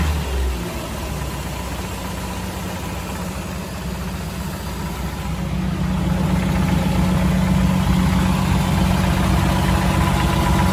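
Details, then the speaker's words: 1984 Jeep CJ7, frame-off restored: starts easily, settles into an even, steady idle, then picks up smoothly on a light rev with no knocks or misses; healthy, normal idle with revving. "All right, let's start it up and see how she sounds. She starts very nice and easy."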